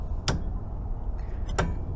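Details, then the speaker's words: Cummins Onan QG 4000 RV generator, returned from rental with almost no oil: fuel pump primes, then two sharp clicks a second apart with no cranking; starter relay engages but engine suspected seized, weak battery or voltage drop not yet ruled out. "we hear relay engage in our starter so that doesn't necessarily mean the starter is good but there is a chance that the starter is unable to overcome the inertia of the crank"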